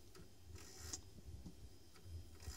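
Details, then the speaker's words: Defective 3.5" floppy drive that ruins disks, before cleaning with a 1990s Floppiclene kit: quiet, irregular rasping snore with soft ticks about twice a second as it struggles to read; files then fail to copy. "this is absolutely the most snoring disk drive I have ever encountered"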